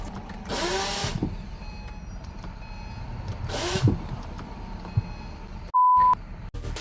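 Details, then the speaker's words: Acura with a mildly built J-series engine just installed, loose without the subframe: two short whirring bursts as the starter spins freely without catching the engine; the starter is failing to engage. "the starter seems to have an issue engaging"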